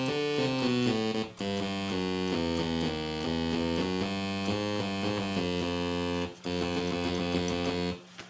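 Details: Sequential Circuits Prophet 5 synthesizer after restoration, before repair: a steady run of keyboard notes where some pitches land off and sour seemingly at random, on particular keys, typical of a drifting voice oscillator.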